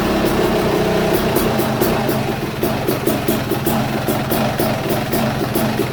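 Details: YZ250 two-stroke after top end rebuild, higher-compression 5UP head, on 60% race fuel/40% pump gas, first start: crisp steady ring-ding idle with quick throttle blips; runs cleanly, strong compression.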